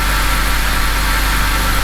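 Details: BMW E90 3-Series N52/N51 engine after replacing an alternator that was not charging: smooth, even idle hum with no squeal, whine or knock, battery light off, 14.4 V at the battery terminal; normal idle.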